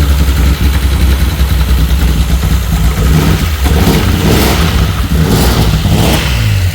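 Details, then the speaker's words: VW R32 engine being swapped into a VW T5 Transporter, first start on the floor after water was cleared from the plug holes: engine hunts and surges, revs rising and sagging about every second, running erratic because the airflow meter is disconnected. "It sounds okay. It's running a little bit erratic. That's because the airflow meter is not connected."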